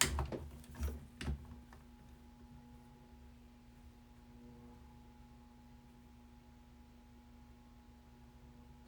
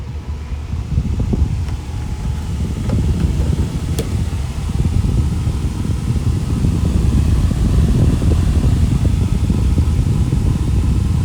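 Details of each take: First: Small exhaust fan hums steadily with a faint thin whine from dry motor bearings; the fix planned is oiling the front bearing with 3-in-One oil, since running it long like this can damage the bearings. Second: Small bathroom exhaust fan after its dry front bearing was oiled runs with a steady low whooshing hum, no squeal or grinding; normal running after the fix.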